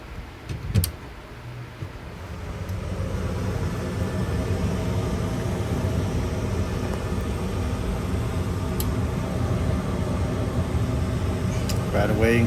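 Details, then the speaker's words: House gas furnace after gas valve replacement, fired with jumpers: inducer motor and hot surface igniter come on, then a low steady hum builds after a couple of seconds into an even rumble before flame. Normal startup after repair. "motor hot surface igniter now after a couple of seconds we should get Flame"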